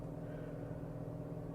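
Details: 2014 Dodge Avenger after blend door actuator replacement: a steady low engine hum with no ticking or clicking when switching heat to cold, so the new actuator works quietly.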